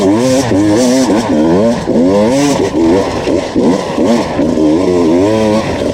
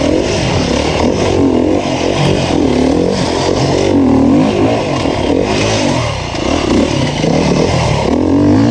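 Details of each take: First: 2019 Beta two-stroke enduro test bike on a Finnish enduro track, screaming constantly with revs warbling and no added pull. It struggled through two laps and failed to climb a hill; the clutch was slipping. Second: 2019 Beta 350RR four-stroke enduro bike on a Finnish enduro track, a crisp bark rising and falling with the throttle, pulling cleanly with no misfire or clatter; the engine runs healthy.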